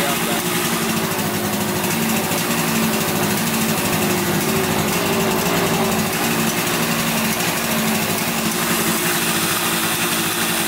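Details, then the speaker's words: 1971 Yamaha CS200 twin two-stroke, sat over 17 years, recently revived: steady, thin buzzing idle with lopsided, underpowered note; owner suspects only one cylinder firing; spark check found spark, left cylinder 125 psi compression, plug swap planned. "I think it's only running on one cylinder. We're gonna check for spark in the spark plug, see if we can spark."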